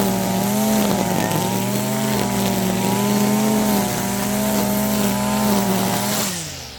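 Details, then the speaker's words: Stihl FS55R trimmer after a carburetor swap, cutting grass at wide-open throttle: it screams under load but the tone wavers and burbles instead of holding clean; the high-speed mixture is running rich, calling for the screw to be turned in about a sixteenth to an eighth turn. "So, that right there is staying pretty rich most of the time. We're going to take this thing and we're going to turn it in probably about a 16th of a turn."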